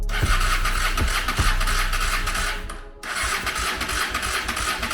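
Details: 1995 Honda Shadow VLX600 V-twin after years of neglect, choke on, starter fluid sprayed in: coughs through uneven firings, stumbles almost to a stop, catches again, struggling to stay running; hard starting, cause not confirmed.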